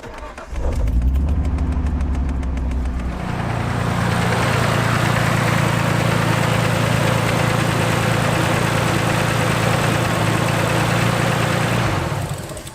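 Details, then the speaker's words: R33 Skyline turbo after new Splitfire coil packs and spark plugs, fixing spluttering and breaking up: catches after cranking but idles lumpy with stumbling beat; misfire, owner suspects a coil pack connector not seated, middle wire pops out. "Seems like one of them might not be plugged in properly. We'll go check. I did have issues with that little middle wire actually pops out, so hopefully that's the issue."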